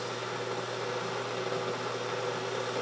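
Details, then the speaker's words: Keurig coffee maker warming up before brewing: a steady bubbling hiss over a low electrical hum as its inner tank boils the water, a normal heating sound, though the machine is noted as louder than a standard drip coffee maker. "it's already kind of making like a boiling water type sound and that's cuz it does have an inner tank and it's boiling the water"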